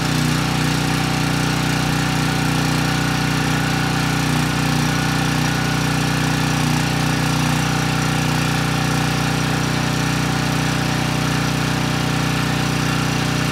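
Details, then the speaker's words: Briggs & Stratton Storm Responder 5500 W generator, previously seized single-cylinder engine; indoor test with fuel poured on carburetor, no tank or load. Steady even beat, no knocks or misses; runs healthy, makes power. "can't really complain about that it started right up the engine sounds good the carburetor is running it well and of course we have power"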